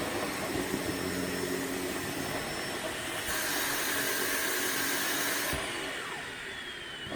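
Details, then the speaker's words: Sebo K3 Premium vacuum during a heavy pet-fur pickup test: a steady motor roar shifts pitch partway through as the airflow chokes. Suction drops because the dust bag is packed full. "okay looks like we got a bit of a blockage let's have a look and see which problem is by the bag"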